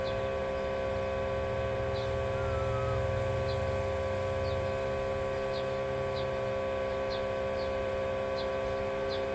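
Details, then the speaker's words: 1987 Chevrolet V10 with a new Carter electric fuel pump powered straight from an 18-volt battery to try to self-prime: a steady hum with light, regular ticking that never labours; the clear filter shows no fuel, the pump spinning dry. "Not seeing nothing yet. Supposedly the more bolts makes it pump harder and supposedly it can prime itself."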